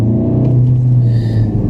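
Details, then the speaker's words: 2014 VW Golf 2.0 TDI EA288 diesel after repairing a roughly 3-second long crank on first startup (P0341/P0016/P0011): deep even rumble with no knocks or misses, running very nicely. "it actually runs very nice."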